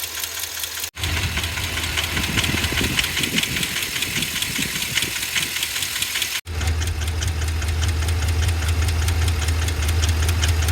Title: 7.3L Godzilla lifter failure - ticking and knocking noise